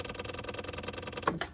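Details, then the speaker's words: John Deere 1023E diesel tractor, engine off, after petrol contamination was drained: quiet, fast, even ticking at about twelve per second as the electric fuel pump primes the system. Normal, no leak. "Okay, it's priming. You can see that priming right on up. And we'll let that prime for a minute."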